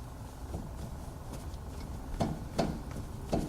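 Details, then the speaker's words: 2003 Volkswagen Golf TDI, 170,000 miles: three sharp, separate pops as the wheel is rocked by hand at 3 and 9 o'clock, indicating steering play; wheel bearing play already checked okay; tires worn unevenly, possibly more on outside. "And this wheel has a pop. I can even hear it. Right?"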